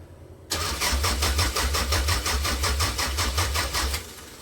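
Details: 1998 Toyota Camry with a new gas tank, fresh gas and a fuel pump suspected as the cause: the engine cranks at a steady chug, about three beats a second, but never starts, so the fuel pump probably isn't the fault.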